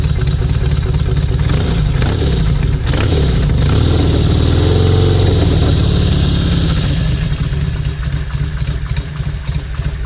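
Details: 1971 Norton Commando 750 Roadster, matching numbers, off the road three decades, engine and gearbox overhauled, first start after refurbishment: settles into an even, lumpy twin idle with crisp throttle blips, no knocks or misses; normal running.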